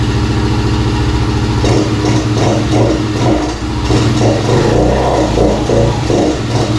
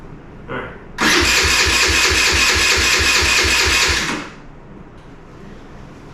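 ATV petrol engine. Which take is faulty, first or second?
second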